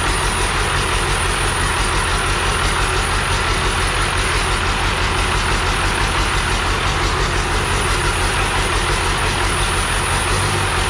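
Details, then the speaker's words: 12V Cummins core engine, accident-damaged, first run after 4-6 years sitting, new oil filter: steady rough diesel idle with faint repeating rub each turn; fan touching harmonic balancer, turbo suspected bad, fuel filter leaks. "i would say the turbo's probably no good and the fan is definitely touching the harmonica but it sounds like it's uh it doesn't sound like it's gizzard in itself"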